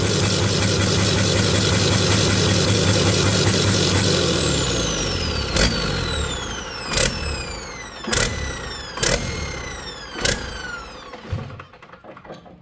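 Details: Detroit 40 series generator turbo diesel (rebranded Navistar DT466, possibly DT530), sat outside 5+ years, after bleeding injectors: runs steady then hunts, speed dropping in surges about once a second as it winds down; owner suspects flywheel governor, unconfirmed.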